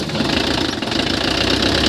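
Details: Mitsubishi L300 van, 4D56 diesel, checked for hard starting (magnetic shut-off valve): rattly diesel clatter at a steady idle with an even rhythm and no faltering after starting.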